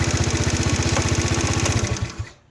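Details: Chinese four-stroke single-cylinder scooter (139QMB/GY6-type) after a pod filter swap and carburettor tuning; even putter at about seventeen pulses a second before shutting off; smooth, steady normal idle.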